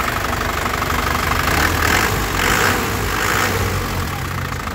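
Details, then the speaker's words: 2014 Isuzu Panther LS Turbo diesel, low mileage, one owner, dry engine with no oil seepage: steady crisp clatter at idle, no shaking, misses or stumbles, no smoke or blow-by; a healthy normal idle. "Jadi, dari getarannya stabil, tidak goyang, tidak pincang ya. Suaranya juga renyah khas penter ya. Jadi mobilnya memang sehat."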